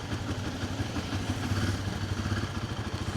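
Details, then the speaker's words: Single-cylinder motorcycle from a Triumph Speed 400 vs Royal Enfield Guerrilla 450 comparison, just after a cold start. The automatic choke lifts revs from low to just over 2,000 rpm; a quick, even thump at raised idle while warming up. Normal cold-start fast idle. "You can hear like the automatic choke kicking because it started off quite low revs and now it's ticking over at just over 2,000 RPM."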